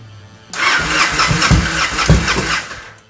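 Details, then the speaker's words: 2007 Victory Vegas motorcycle, high mileage, after fuel pump replacement, battery back in: engine catches about half a second in, settles into fairly even idle, no misses or rattles; healthy start. "It's alive!"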